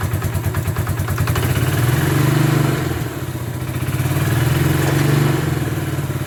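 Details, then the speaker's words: Bombardier Quest 650 ATV running with the CVT side cover off after a new Gates G-Force C-12 drive belt was fitted. Steady running with mild mechanical clatter and gentle rises and falls in revs; the belt drive sounds healthy. "All right, so before we put the side cover back on, we're just going to start it up, make sure everything's looking good there."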